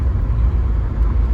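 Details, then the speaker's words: Great Wall Hover H5 4D20 diesel, freshly rebuilt after a timing belt break, first metres of driving and not revved high: deep, even low rumble with no knocks. Winter tyres add noise. Engine runs quiet and healthy. "автомобиль ведет себя очень адекватно мотор работает тихо приятно естественно быстро"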